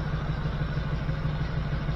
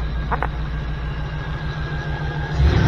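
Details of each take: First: 1979 GMC C15 with LS swap, after replacing three injectors to fix a P0300 misfire and now firing on all eight, at idle: a light, even tick about six times a second over the rumble. The owner thinks parts are still settling; the source is unconfirmed. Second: 1979 GMC C15 with LS swap, P0300 misfire code, after replacing three injectors: smooth idle with three clean even throttle blips, no stumble or miss; running on all eight, though another noise is still heard.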